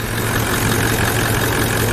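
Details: Toyota Land Cruiser 200 1VD-FTV diesel, cold start at shop room temperature after timing chain replacement for timing drive knock: steady even idle, smooth low beat, no chain rattle or knocking; knocks gone, oil pressure good.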